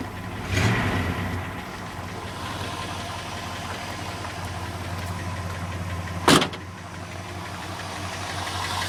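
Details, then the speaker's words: 1981 Chrysler Imperial coupe after headlight and cooling fan wiring upgrades, starting and settling into even idle with a faint quick lifter tick over the low hum; good compression, owner leaving the tick alone for now. "sorry for the uh lifter tick good compression I'm not doing a darn thing about it until I need to"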